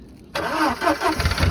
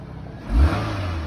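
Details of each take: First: 2004 Volkswagen Passat 1.8T, jump-started; starter cranks in two rapid bursts with a pause but never catches; sounds like it's out of gas, cause unclear: crank no start. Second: 2019 Nissan Rogue, about 46,000 miles, starts without jump; short smooth rev settling back to even idle, no knocks or rattles, sounds pretty good: normal engine rev.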